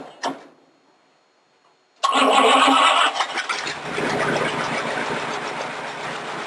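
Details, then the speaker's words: Home-built rat rod roadster, dead cold start after sitting several days, choke readjusted that morning: cranks briefly, catches right away and settles into a steady even idle with no misses or knocks. "on a dead cold start she's been sitting here for ever since the last time I missed was it was just several days ago"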